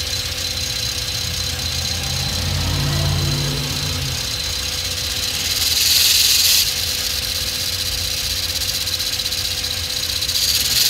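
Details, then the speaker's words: 2006 Hyundai Elantra manual creeping off in first after being forced into gear: low wavering squeal with rattling and clutch-pedal vibration; clutch damper spring failed and separated from the clutch disc. "I try to move a little forward and you can hear that squealing noise that grinding I wouldn't say it's grinding but just let's try again"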